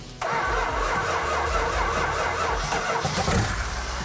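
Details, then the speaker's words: 1970 Dodge Challenger R/T, 440 Magnum V8, 4-speed, after a little gas added: engine catches quickly and settles into an even, lumpy idle with no knocks; runs normally. "a little bit of gas there do you now we got fire sounds good huh"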